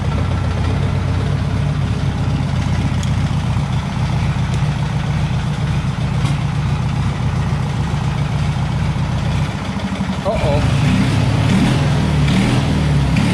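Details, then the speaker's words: Taurus 650 at idle after idle fix (added throttle return spring, adjusted idle tab and idle screw) for a previously too-high idle; steady, even low idle with smooth rumble and slight lift near the end, idle speed now correct. "that's Eileen pretty lowdown as perfect that's good well maybe just a wee bit higher"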